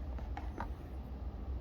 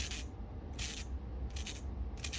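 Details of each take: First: New Gates 38018 tensioner pulley on a 2010 Audi 2.0T, hand-spun off the car, turns nice and quiet with a faint whir and light handling clicks; the old bearing had audible wear. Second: Gritty, scraping rub as the removed belt tensioner pulley from a 2010 Audi 2.0T is spun by hand; worn bearing, being replaced with a quiet new Gates 38018 pulley while keeping the original tensioner.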